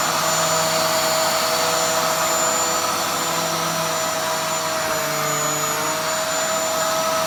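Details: Dyson DC07 upright vacuum after cleaning, with a steady high whine and constant airy rush and no rattles or surging, sounding much better than before.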